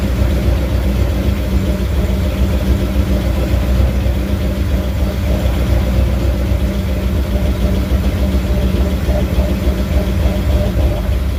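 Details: First startup of a carbureted 347 stroker with new pistons, bigger camshaft and better intake in a 1980 Ford F250: a deep, steady V8 idle with a slight cam lope and no knocks or ticks. Runs smoothly but got pretty hot.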